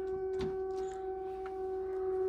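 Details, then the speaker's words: Mahindra Roxor diesel in very cold weather, key on, engine off, in neutral: loud steady mid-pitched fuel pump hum, pump labouring hard in the cold; engine then fails to start. "Yeah, even this. The fuel pump is having a hard time. It's loud."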